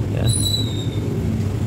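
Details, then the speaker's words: Old Honda Vario scooter at idle, muffler holed from being knocked about; low, steady putter with a raw, open edge as exhaust escapes through the hole, before patching without welding or removal. "motor Vario lama ini knalpotnya bolong Lur ini kebentur-bentur ini jadi kalau Dias ni suaranya keluar dari sini ya kelihatan kan bolongnya tuh tuh"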